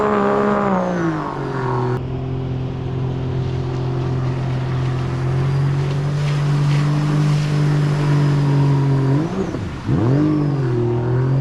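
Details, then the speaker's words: 2017 supercharged Sea-Doo RXT-X 260 jet ski on the lake after repairs: a steady drone sags and stumbles briefly when the throttle is punched from low rpm, then picks up; the mechanic suspects a remaining fuel system issue, not confirmed. "well it just when I punch it like lower RPM it uh kind of bugs out and then it wants to go after"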